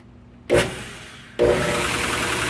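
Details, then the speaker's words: KMG 2x72 belt grinder with a healthy platen wheel, tested before finding the screeching wheel's shot bearing: brief spin-up, then a steady, even hiss and rub with no knock, rattle or squeal. The grinder's normal quiet running. "can hear the difference he's running really quiet and that's the way it normally sounds"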